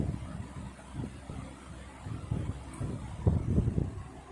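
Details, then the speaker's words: 1960s Wizard reversible box fan with 2.6 amp motor, running on high in a window: soft, even rush of air with low hum, no ticking, rattle or wobble; well-balanced blades, running smoothly. "This fan is very quiet. Love the way that it sounds."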